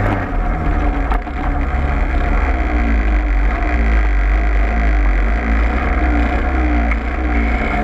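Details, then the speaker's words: Peugeot 103 moped running: loud, deep, steady drone with a rough shaking undertone; heavy, odd vibration, cause not yet clear. "T'entends pas un bruit bizarre un peu là? Comme une grosse vibration?"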